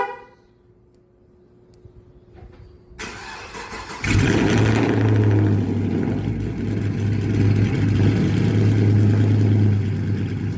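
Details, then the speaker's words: Camaro V8 on a cold start, throwing a misfire code on cylinder 6 despite spark plugs replaced about three times and a coil pack replaced: cranks and catches, then idles lumpy and uneven, sagging once as if about to stall. "if y'all can hear it, but it kind of died on idle a little bit. Yeah, right there. Yeah, this car is misfiring."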